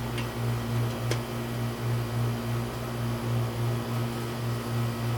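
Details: Residential AC outdoor condenser that would not turn on, run after rewiring the replaced part; low even compressor hum swelling gently under steady fan, no clanks or buzzing; running normally.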